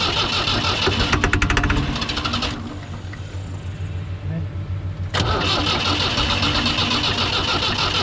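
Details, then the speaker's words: Ford 2701E 240 CI 4-cylinder diesel grapple log loader, sitting 15 years with old fuel: rapid cranking bursts, fuel reaching injector 4 while bleeding air, then catches and runs rough; cranking with air in injector lines. "after uh cranking and yeah we have a fuel showed up at the injector number four which is good and we just need to keep uh bleeding air and it should fire it up"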